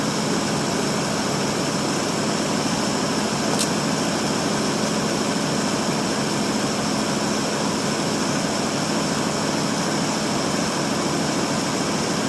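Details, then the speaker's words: 1952 Ford Customline flathead V8, started after sitting a month or two (6-volt battery with 12-volt jump pack), dual exhaust with mild glasspacks; smooth, even, quiet low purr at idle with no ticking or knocking; normal idle. "Let's listen to that old flathead just taking purr. Quiet as can be."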